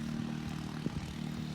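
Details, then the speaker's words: Roughly 30-pound MotorGuide foot-pedal trolling motor on a 1995 Spectrum 16 Dominator aluminum boat that sat 22 years, tested working: steady low electric hum at even pitch, no grinding or rattling; normal trolling motor operation. "We tested out the trolling motor too, and that works. That's about a 30-pound motor guide."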